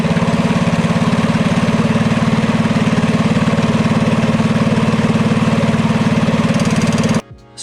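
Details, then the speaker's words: Mini bike with DuroMax 208 single (header pipe, Tillotson 212 flywheel) and new VM22 Mikuni carb, warmed up, fuel screw about 1.5 turns out: fast, even putter, about nine firings a second, steady until cutoff; peak idle, pilot jet in the ballpark. "this one here achieved its highest idle at about a turn and a half out so it's running its most efficient in the pilot jets in the ballpark"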